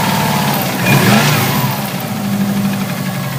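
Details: Subaru Impreza wagon with a mechanically tuned naturally aspirated engine, possibly overboosted by 3–4 psi. A heavy knock deep in the bottom end rises and falls with revs. Rod knock or a bent rod is suspected, and the passenger-side bank is shooting out a lot of oil.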